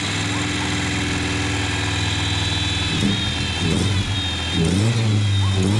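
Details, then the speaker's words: 2.3L Ford Ranger four-cylinder with a 2.5L cylinder head, 162,000 miles, first start after head swap and adding fuel: catches, idles unevenly, surges on throttle blips with a raw noisy note; rough running, possible vacuum leak suspected, seems to hit on all four. "I have a vacuum leak. Huh? I think you got a vacuum leak. Oh, noisy."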